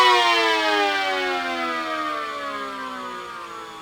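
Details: Mini SD10 siren after replacing rubber motor-axle part that rubbed motor bearing, plus motor cleaning and oiling; previously slowed down too quickly: clean rising-then-falling wail gliding smoothly down without catching or dragging; motor free and healthy.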